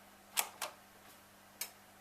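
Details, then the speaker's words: Pfaff 561 industrial sewing machine with a quiet 220 V motor, switched on. Only a couple of light clicks over near silence, no motor hum. The motor sits on standby and draws power only when sewing starts. "You only heard a little click, which shows me I turned my machine on. Because with this engine and 220 volts only, this is only like on a standby."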